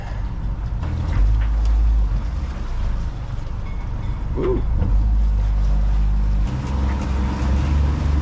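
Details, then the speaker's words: New plug-and-play outboard on a Gemini 3200 catamaran, first run in gear: steady low drone under load never climbing in pitch, won't go much over 3,000 RPM; owner unsure the reading is correct, cause unclear. "It doesn't want to go much over 3,000 RPM. Anyways, that is interesting. We're moving though."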